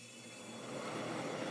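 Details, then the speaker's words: Vintage Sears Coldspot Thirty dehumidifier, about 40 years old, in a basement, switched on via humidistat: soft whoosh swelling into an even quiet hum as the compressor kicks on right away; normal, unbelievably quiet start-up. "there it goes and the compressor kicks on right away and like I said this thing is unbelievably quiet"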